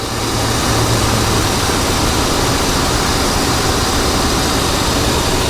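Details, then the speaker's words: 1985 GMC C1500 Sierra V8, air cleaner off, power steering pump seal recently replaced: steady, even idle with a smooth low drone and no knocks or squeals; normal idle. "Running like a top, man."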